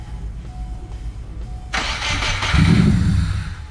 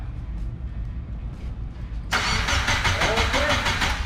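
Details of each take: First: Subaru Impreza GC with JDM EJ205 swap, first start after oil priming: starter cranks steadily, engine catches briefly and sputters without running on; just needs fuel. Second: Subaru Impreza GC with swapped JDM EJ205 engine after long sitting, cranking to prime oil before first start: even, normal cranking about three turns a second with no fast spin. Compression sounds even.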